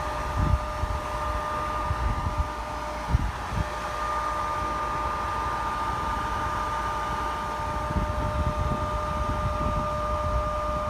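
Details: Pellet stove exhaust blower after its loose case was re-crimped firmly to the motor frame: steady motor hum with an even whine and no rattle, then winds down as it is switched off.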